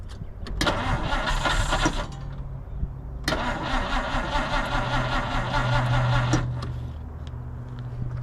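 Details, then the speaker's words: 1950s Dodge Meadowbrook swapped from 12-volt to 6-volt battery, cranking while squirting fuel into carburetor: labored slow cranking, roughly two to three turns a second, starter much slower on 6 volts than 12; slow cranking from low battery voltage. "But you hear how that starter is much much slower on uh 6 volts than it is 12."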